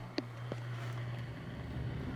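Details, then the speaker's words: Old York HVAC unit, thermostat switched on: a steady low hum runs evenly with no rattle or scraping as the blower fan starts and runs smoothly; normal fan operation. "Oh, the fan works."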